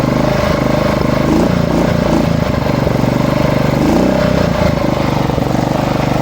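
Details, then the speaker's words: Small lawn mower engine idling: speed hunts up and down on its own, settling to normal only while air is blown in, pointing to fuel starvation. "Piepūt gaisu iekšā, tad viņš normalizējas. Citādāk sāk staigāt šitas lo."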